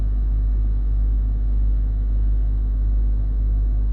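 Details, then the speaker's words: Range Rover L322 3.6 TDV8 Hitachi air suspension compressor refilling a fully deflated system, no errors, rear still slightly low but raising; steady low drone with slow even throb, no knocks or rattles, pumping normally. "No errors, the compressors still running the back end looks a little bit low but we are raising, we've got no rising slowly error which is a positive"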